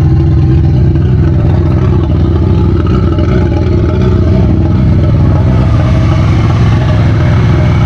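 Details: VW Golf 1.8 turbo, first start after build with programmable ECU, after swapping reversed fuel pump hoses: engine catches and settles into steady even running, no misfire or knock, normal.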